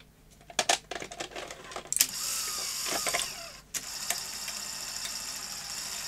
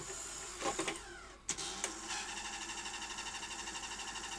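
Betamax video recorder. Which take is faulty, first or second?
second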